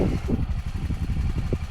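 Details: Honda Pioneer 700 side-by-side, stored in an unheated barn, on a very cold morning: low, fast, even pulsing with no knocks or misses as the petrol engine idles steadily while warming up from cold.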